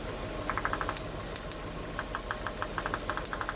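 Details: Hyundai Getz mk1 1.3 12V petrol losing power: rough uneven idle with sharp irregular ticking, about three a second; removing plug leads shows a cylinder not firing though spark is present.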